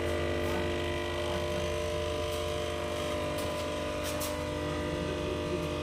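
A steady low hum with a constant tone and no change in pitch over the clip, typical of a noisy stabilizer transformer. Cause suspected, not confirmed.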